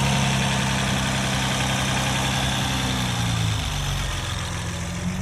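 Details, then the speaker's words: 2011 Honda Accord EX 3.5 V6 with muffler and resonator deleted, idling after EGR cleaning. The loud open exhaust holds an even, steady idle with no hunting or stumbling; the idle sounds more consistent than before the cleaning. "the idle sounds more consistent"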